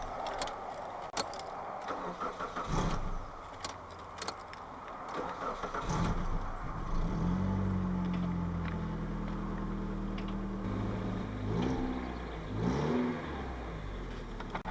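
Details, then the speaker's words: Mitsubishi Shogun Pinin 2.0 GDI 4G94 with fault code P0190, first start after fuel system work with no fuel in system: catches after a few tries, uneven wavering idle with dips and surges, running lean from air in fuel lines. "It may sputter a little bit because there is no fuel in the system right now. So, and the pump only pumps when the engine is turning."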